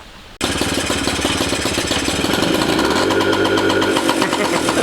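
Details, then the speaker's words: 1985 Yamaha QT50 scooter at full throttle won't rev: carburetor slide/needle moving, big intake noise but no revs, no bogging or dying; loud rattling intake roar that never climbs; muffler blockage to be checked next. "full throttle it says but it doesn't go any ribs and it doesn't die or bog or anything it's just the needle's sliding the piston is moving in the uh carburetor with the needle you hear big intake but no reps"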